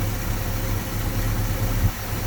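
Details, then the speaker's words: 1966 Ford Mustang 289 V8 with a remanufactured 2-barrel carburetor, idling after a new fuel pump revived it following months without starting; deep, even burble with no misses, ticks or knocks; normal healthy idle. "Damn right, just purring. Woo! Now that sounds good right there. I don't care who you are. That is what a good sounding motor should sound like."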